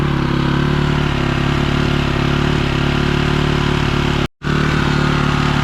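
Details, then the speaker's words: 2006 BMW R1200GS Adventure, 107,000 km: steady, fast, even thumping idle, no dips; idling too high, needs idle and valve adjustment. "Definitely idling too high. Yeah, I'll still adjust off."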